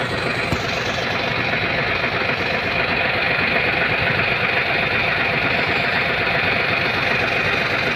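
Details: Hino 700 truck, E13C diesel with low power and hard starting. Idles with an uneven, lumpy beat and a recurring stumble in the rhythm; rough idle from a malfunctioning number 5 injector.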